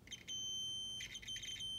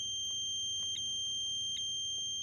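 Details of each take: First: 2003 Mercury Marauder no-crank diagnosis on the bench: multimeter in resistance mode with audible tone, a transmission range sensor harness terminal slid fully onto a pin gives a steady, high, clean beep with brief dropouts; good continuity before the terminal is wiggled. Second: 2003 Mercury Marauder no-crank no-start: continuity tester beep cuts out as the wire is wiggled, the terminal moving on its pin in the transmission range sensor harness connector; loose connector terminal causing intermittent continuity.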